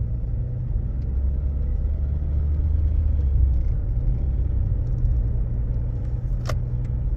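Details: Toyota Aisin MMT robotized gearbox test drive after replacing 3rd/4th synchronizer and adding gear shims to cure knocking: steady road rumble, even pull, no crunch or grind on shifts; 3rd and 4th now silent; normal gear shifting.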